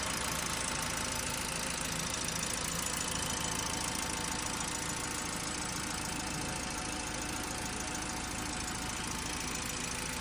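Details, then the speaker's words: 2017 Toyota Agya TRD automatic, 14,238 km, just started from very cold: steady, even idle held at just over 1000 rpm, no ticking, knocking or belt noise; normal healthy cold idle. "Dalam keadaan dingin banget, RPM-nya masih di 1000-an lebih."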